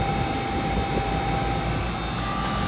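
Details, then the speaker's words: Rooftop 5-ton AC unit (58.2 ANW 060) on a no-cooling call: indoor blower motor, after its burnt-out capacitor was dealt with, gives a steady airy rush with a thin hum at 4.8 A versus 6.2 A rated; normal blower operation. "She's alive and running."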